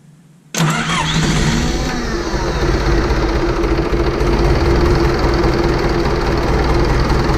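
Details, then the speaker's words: John Deere 450 crawler diesel with newly installed starter and rewired alternator, first start after purging air from fuel: brisk crank, catches at once and settles into a steady, even idle; starter working normally. "daughter worked really well crank right over"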